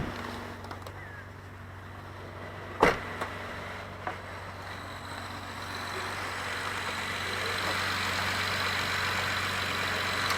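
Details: 2012 Acura TL V6 after alternator replacement with Denso part (was whining, battery light on): steady even idle, low hum, no whine, 14 volts charging; a few sharp handling clicks.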